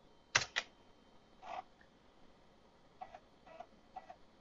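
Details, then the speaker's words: Canon NoteJet II 486C laptop's built-in floppy drive reading Windows for Workgroups install disk 1. Sharp seek clicks then soft, evenly spaced ticks over quiet background; the drive is reading normally. "that sounds like it's reading okay"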